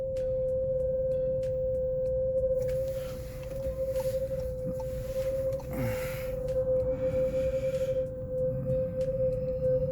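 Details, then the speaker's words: Brand-new VW Polo TSI coasting with no accelerator, the car pulling itself: a loud, steady, high scream at one constant pitch throughout; brake squeal from dust on the wheel parts. "See how long it's been going. Because the car is pulling itself. I'm not on the accelerator or anything."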